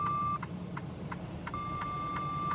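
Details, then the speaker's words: Mack truck in heavy merging traffic, turn signal on: sharp mid-pitched beeps with a longer steady tone over low truck rumble. This is the blind-spot side alert sensor warning of a vehicle beside the truck. "If you hear that buzzing noise because my turn signal is on I have a side alert sensor that tells me there's a vehicle beside me."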